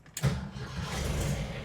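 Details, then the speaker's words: 1971 VW Bus, hot after a drive, following repairs another shop couldn't complete: a quick crank, then it catches at once and settles into a steady low rumble; normal hot start. "Slightly sitting here starts, ramble starts, if you will. I mean, it sounds good. I mean, it really does. Sounds healthy."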